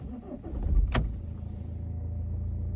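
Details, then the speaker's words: Audi diesel with an AdBlue fault and 40 km left before no-start, after the control unit was bench-coded to disable only AdBlue: short crank, then a steady low diesel idle; warnings cleared, healthy start. "Kļūdas pazuda, paziņojuma nav."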